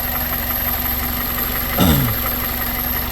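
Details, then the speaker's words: 2001 Toyota Corolla 1.8 with earlier P0301 cylinder 1 misfire code, idling at night with no codes present: steady even four-cylinder hum, one brief clunk, no stumble; running normally for now. "una belleza cómo está cómo se escucha no hay ningún problema en este momento"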